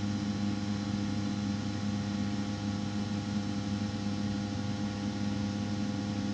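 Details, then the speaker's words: Rinnai tankless water heater throwing error code 10, before blower replacement, with debris already cleaned from the blower: a steady hum with a pulsing buzz underneath. Owner suspects a worn blower bearing causing the vibration and code 10. "and then what I think is happening it'll actually throw up ten code on here and I think that's from the bearing not being able to pull and ventilate well"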